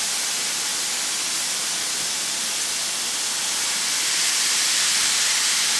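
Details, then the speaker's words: Braun steam generator iron, roughly 10 years little-used, descaler added, very hot: loud continuous hiss swelling toward the end as steam vents, scale-blocked generator clearing lots of limescale. "Well, I think it's safe to say there's a lot of scale up there."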